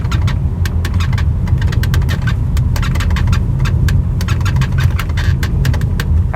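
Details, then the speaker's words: BMW 3 Series instrument cluster rattling while driving: quick irregular clicks and creaks over low road rumble. The cluster makes a racket when moved up and down. The fix is removing it and applying felt tape. "this noise is coming actually from the instrument cluster and you can see all I have to do is simply move this up and down and you can hear it making all kinds of Racket there"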